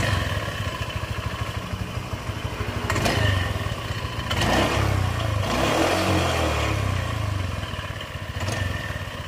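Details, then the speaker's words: Automatic scooter with rough noise from left-side CVT pulley: metallic clatter swelling with throttle, caused by worn loose roller housing and shattered rollers. "ternyata ini penyebabnya rumah roller oblak roller juga hancur aduh kacau"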